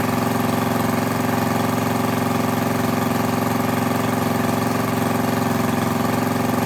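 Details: Craftsman lawn edger, 140cc engine, reassembled after cleaning heavy dirt from the carb and intake. Steady, even buzz at constant speed with no misses or surging. Normal running; owner unsure whether it should run faster.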